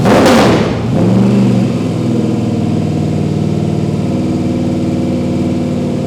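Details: Freshly swapped 350 crate V8 in a 1951 Chevy 3100 farm truck, first start, oil pressure 20 on cranking: catches with a quick rev, drops back and settles into a steady, even idle with no knocks. Normal idle.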